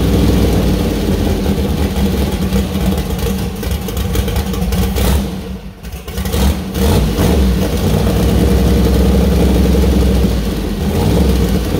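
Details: First start of freshly built 2000+HP LS V8 (Dart LS Next block, 4in stroke crank, 4.140 bore Wiseco pistons, Brodix BR3 heads, .750 lift solid roller cam): deep lumpy idle, brief dip, clean pickup; runs well, small oil leak at cam-driven fuel pump.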